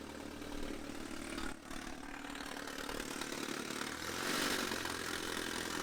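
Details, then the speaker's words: Supercharged Mercedes C230K W203, manual, 183,000 miles, with the sensor out: loud exhaust but steady, even idle with no misses; normal smoother idle, crankcase pressure still high. "so far it's definitely louder which is normal but it also looks like it's idling more smoothly the engine is really steady"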